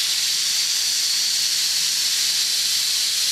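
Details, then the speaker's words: Homemade steam safety valves; steady, sharp hiss of steam with no chatter or flutter as the valve lifts and blows off cleanly: normal safety valve lift. "I'm going to start selling safety valves here and uh there she goes it's going to go boom I love"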